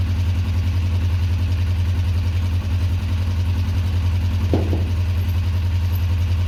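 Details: 2004 Kawasaki ER-5 twin, custom painted, after exhaust fitted and carbs worked on and bled: smooth, even low idle with a steady beat and no ticks, misses or stumbles; looks and sounds great, normal idle.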